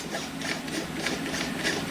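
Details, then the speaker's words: 1972 Akai VT-110 1/4-inch video tape recorder with slightly loose belt: dry, uneven scraping as the reel is turned by hand shows the reel brake is still on and gripping, which is encouraging. "can hear that the brake is still on wow well that's that's encouraging right"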